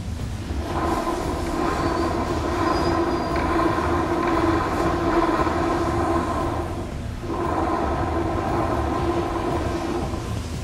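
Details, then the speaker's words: 2015 Honda PCX scooter, microphone close to the rear wheel hub before repair. There is a steady whirring hum with a rough edge over the running drive, from worn final-drive bearings (three bearings in that area). "vcx 2015 com um barulho bem estranho na roda traseira é comum neste modelo termos problemas de rolamento aqui nesta região e aqui temos três rolamentos que fazem barulho"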